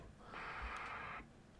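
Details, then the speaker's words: Formac 120 AM/FM 120-channel CB radio, bought faulty from eBay, after a capacitor was fitted across the squelch transistor's collector-emitter. Short burst of hiss cuts off cleanly with no pop or click. Smooth, normal squelch release. "nice and um smooth on the release and no pop anymore so scch still works as expected but no nasty pop"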